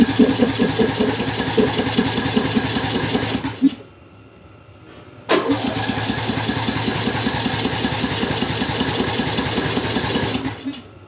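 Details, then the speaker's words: Bolens M762F lawn tractor after carburetor reinstall and engine repair: two cranking bursts of quick even chugs that never catch, because the fuel shutoff solenoid had no power; it ran once powered. "The fuel shut off. If that's not getting power, it's basically shutting the fuel off completely to it until you give it power and then it comes back down."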